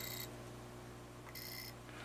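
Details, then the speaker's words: Atari Asteroids arcade PCB on the bench: a logic probe on the DAC data lines gives short high beeps pulsing on and off over a low mains hum, confirming data is reaching the DACs. "so we do have data that's going through the DACs. Yes, we do."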